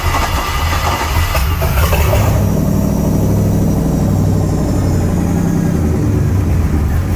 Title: Volvo Penta 5.7 GSi hard starting